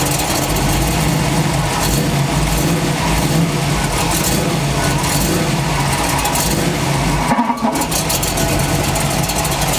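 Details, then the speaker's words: Suspected cracked flexplate on a V8 truck: revving makes a new ugly harsh noise from the engine/flexplate side, not the torque converter, which stayed in position; cause suspected, not confirmed. "ee any contact then i'll know that it's making that ugly sound this new ugly sound and it's only on the engine side and that would kind of lead me to believe that it's torque converter i mean uh flex plate my bad that would lead me to believe that it's flex plate"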